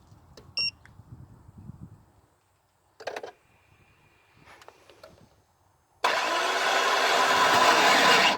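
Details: GM car with a failing starter motor: clicks and a brief whir at the key, then harsh loud grinding whirr while cranking, engine not catching.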